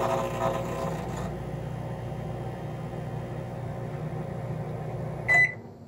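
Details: Microwave on a DIY Nissan Leaf battery pack through a Reliable 1500 W inverter, output raised to about 122–125 V to cure startup stuttering. Steady low hum with no dropouts, then a short beep: running smoothly on inverter power.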